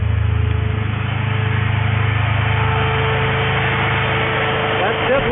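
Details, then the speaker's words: 2003 Mini Cooper two-speed radiator fan, diagnosing overheating: steady low whooshing rush with faint even hum as fan runs on high speed when computer commands stage two active; low speed commanded but not coming on. "high speed the fan is coming on when the computer says active here so that means the computer's commanding it on"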